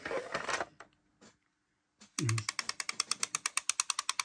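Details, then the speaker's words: Lua Appassionato MKIII CD player at power-on: rapid, even clacks, about eight a second, as the laser pickup sled hammers its end stop; fault traced to the limit microswitch. "wenn er eingeschaltet wird klackert die lesereinheit so die lesereinheit klackert und mach richtig Krach beim das ganze Ding"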